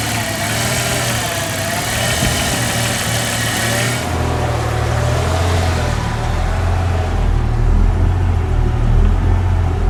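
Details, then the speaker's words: 1998 Jeep Cherokee XJ 4.0 idle drifts slowly up and down with a slight sputter and no trouble codes, sometimes much worse. The throttle position sensor is suspected and is being replaced with a Standard TH189; mild hunting idle. "You can just see the idle going up and down a little bit. Sometimes it's much worse than that."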